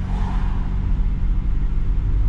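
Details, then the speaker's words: Lexus GS300 after long storage, on a test drive after repairing dragging, squealing brakes: only steady low road rumble, no scraping or grinding. The brakes now sound normal. "der test wie man hört man gar nichts mega geil keine geräusche mehr"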